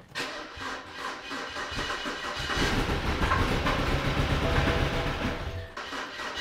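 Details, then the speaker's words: BMW E92 320i, first start after engine rebuild, M delete so it is louder than usual: catches after a short crank into an uneven, stumbling, lumpy idle; misfire because one injector was not plugged in. "guess oh one injector wasn't plugged in from what I saw"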